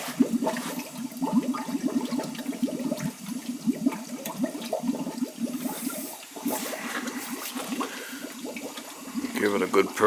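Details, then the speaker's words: Gurgling, rushing water with spitting bursts as trapped air is purged from the hydronic heating loop through the purge hose after a failed expansion tank was found on a boiler leaking water; air audible going through until it goes quiet. "you can hear you can hear the air going in there there it comes i can feel it in the holes"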